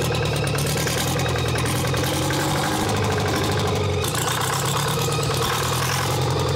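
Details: Champion motor grader with Detroit Diesel, locked up 7 years, freed with Marvel Mystery Oil, now fed clean fuel from a bucket: dense steady clatter at even idle, no misses or surging.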